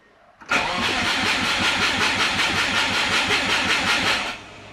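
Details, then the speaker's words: Subaru with DIY turbo exhaust manifold, eighth of a tank of fuel: about four seconds of steady fast starter cranking that never catches; owner suspects flooding, spark plugs later found wet and fouled. "All right. Nope. Nothing. And we have fuel in there now. It's between a quarter and empty. So, we got an eighth of a tank there. I think [snorts] I've just flooded them."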